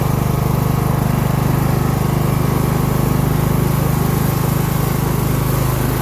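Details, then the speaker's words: Craftsman LT1000 lawn tractor being built into a mud mower, running at full throttle with a steady, slow low drone near two beats per second; owner believes it runs around 2,000–2,500 rpm instead of the rated ~3,500; below rated rpm. "i don't believe the engine is running at the highest rpm if it's supposed to run at like 3 500 it's probably running around 2 000 2500"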